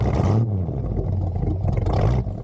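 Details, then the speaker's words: 1974 Bitter CD with Chevrolet 327 V8, started and idling, then revved in neutral: deep rumble, even and smooth with no stumble. The car misfires only under load, later addressed with HT leads, distributor cap, points and condenser. "so you can see here starting the car and idling it it sounds absolutely beautiful oh yeah nice and smooth even uh revving it up whilst uh in neutral lovely and smooth"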